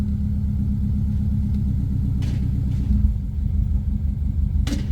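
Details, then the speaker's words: Car held at 2500 rpm, then throttle released: the idle goes lumpy and uneven and doesn't catch itself. Check engine light on; the owner suspects the O2 sensor and plans a back pressure test. "watch what happens when we drop it off to off the gas pedal just doesn't catch itself"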